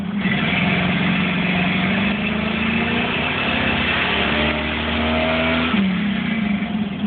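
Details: 1982 Cutlass 267 V8 two-barrel dual-jet carb, running just after first start following carb rebuild, cold and not yet adjusted: steady even low rumble with slight rev rise, no misses or stumbles; healthy running.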